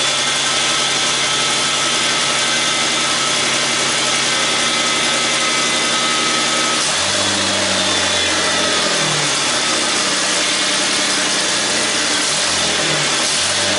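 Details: 2001 Mustang after an engine swap, with a new starter, power steering topped off and transmission fluid full: engine catches, settles into an even idle, then takes a few light revs without knocks or rattles.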